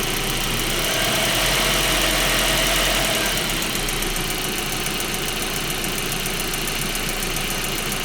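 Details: 1.8T engine at settled idle: steady fast ticking about three to four per second; source unknown.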